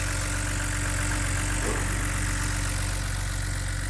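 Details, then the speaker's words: BMW E89 Z4 3.0 N52 straight-six (40,000 miles) idling just after a stuck timing chain tensioner was replaced. Smooth, steady idle with an even low hum and light tappet and injector ticking; idle slowing down, no timing chain rattle; healthy. "oh that sounds lovely that does lovely ticking of the old taets in the injectors very very nice I do like that slowing down no rattle from the timing chain"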